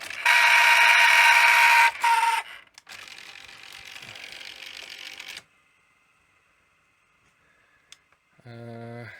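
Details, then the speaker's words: 1984 Sanyo VTC-M40 Beta Hi-Fi Betamax VCR powered on after a cassette was left laced overnight: loud steady high-pitched scream from the reel drive motor running unloaded; reel belt appears broken, motor also needs servicing. "It's just screaming. I mean, the motor needs a little bit of TLC as well, but I think the belt's gone."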